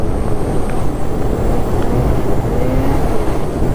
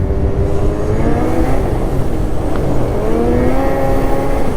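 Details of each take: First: Gen 5 Ski-Doo snowmobile at high rpm, around 8100, on fresh groomed hard-pack trail at 12°; a steady, strong drone with no stumbling. It now runs well after clutching changes and a return to the stock muffler. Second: Ski-Doo Gen 5 snowmobile, well broken in (almost 700 miles), stock muffler, clutching changes, riding in cold weather: engine screams high under load and over-revs; rider suspects it is slightly over-shifted (helix). Engine over-revving.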